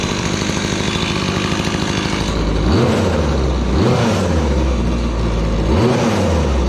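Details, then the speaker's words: Gas-powered Razor dune buggy small single-cylinder engine after repair: high idle then quick blips rising and falling cleanly; revs about same as before (used to dry-rev to about 11,200), owner thinks it may be running rich. "The rev's about the same. Before, this thing would dry rev around like, oh, my kill switch just wore out. Used to rev to like 11.2 dry, but it also sounds like it's running rich."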